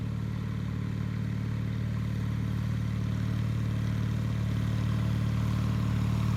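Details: 1974 Bolens HT20 garden tractor on test run after replacing a coil burned out when the ignition was left on after a stall (fuel issue suspected): steady even low throb at constant speed, no misfire or stumble; sounds healthy.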